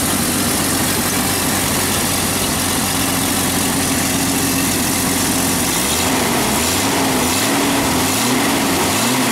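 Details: Jeep Cherokee 4.0 after a tune-up with new plugs, wires, cap and coil wire, previously a random-misfire check-engine light: uneven idle that dips and recovers every second or so; slightly better but still rough, owner suspects an injector.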